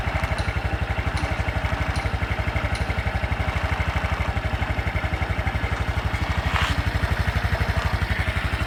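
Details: Honda Super Cub 110 JA07, fuel-injected, fully stock, start-up check at idle: a steady, even single-cylinder putter with no knocks or ticks over it; a normal, healthy idle with no abnormal engine noise.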